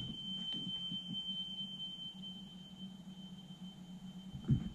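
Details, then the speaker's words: Sony TC-K611S three-head cassette deck from 1993 after its drive belts were replaced, playing a 3 kHz test tape before the capstan speed adjustment (measured 3.09 kHz); a steady, clean tone over a faint hum, so normal playback. "so that's the three kilohertz being played"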